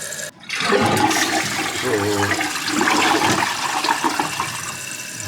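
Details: Toilet after replacing an 8-year-old limed flush valve and flapper with a Fluidmaster universal assembly, flapper set to 8: strong rush of draining water then steady refill hiss; flush and refill healthy, no longer running on.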